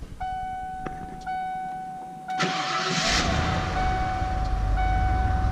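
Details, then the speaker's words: 1994 Ford F150 4x4 Flareside: chimes, engine cranks, catches and settles to a low quiet idle with no ticking or puffing; exhaust leak now repaired. "Quiet. No exhaust leak on the Flareside anymore."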